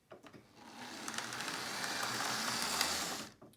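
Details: Lima O gauge Class 37 model diesel locomotive on a power test: harsh, high-pitched screaming whine as the motor spins up, then cuts off; motor whine.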